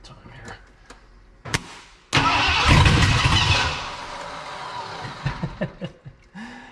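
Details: 1979 Ford F250 4x4 Sno-Fighter, sitting since 1986, with a powertrain sitting since 2016, rigged start with no fuel tank: cranks with scattered ticks, catches about two seconds with a ragged burst on starting fluid, then dies.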